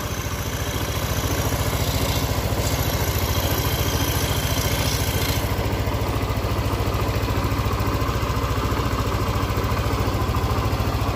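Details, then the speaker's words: Yamaha Nmax scooter after repair of rough "klotok" engine noise, side deck removed, air intake hose still off giving some wind noise: steady, smooth, even idle with no top-end clatter; fault was a broken tensioner, now replaced. "Nah benar sekali awan bunyi motor dan bunyi mesin langsung sangat-sangat halus tidak ada kendala apapun"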